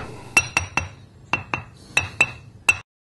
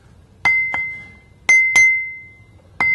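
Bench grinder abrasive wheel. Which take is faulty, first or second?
first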